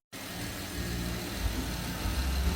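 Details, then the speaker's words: 2013 Porsche Panamera after timing chain kit replacement for P0016 stretched chain: first start catches and settles into smooth even idle, steady low rumble, no rattle or ticking; on time, no misfires, healthy. "she's alive cing like a kitten everything sounds good definitely on time no misfires she sounds great"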